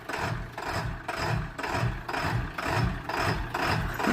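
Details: Ford F-250 7.3 Powerstroke diesel, low on oil, after restart: heavy uneven thumping about twice a second with a rattly, lumpy beat, engine hitting hard and running horribly rough; cause unconfirmed.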